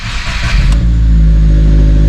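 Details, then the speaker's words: 2023 Subaru WRX (VB) with ETS catted J-pipe, first start after Cobb Fast Flash: starter whirs, catches within a second, settles to a steady, even flat-four idle with no misses or rattles; normal. "Oh baby. First start after the flash."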